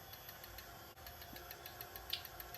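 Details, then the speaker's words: TurnCrafter Commander 12-inch lathe after a control board repair (bad MOSFET, fuse replaced): quiet, steady motor hum with light regular ticking at low potentiometer speed. Slight vibration because the lathe isn't bolted down; speed control working normally. "okay turning the potentiometer and that noise is just this little fatherly and vibration and don't have this bolted down or anything"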